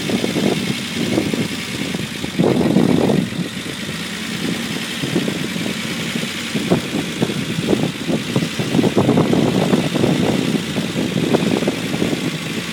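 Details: Unimog 404 first start-up after rebuild with new fuse boards and a rewire: petrol engine with uneven, surging note rising and falling with throttle, no knocks or rattles; normal running.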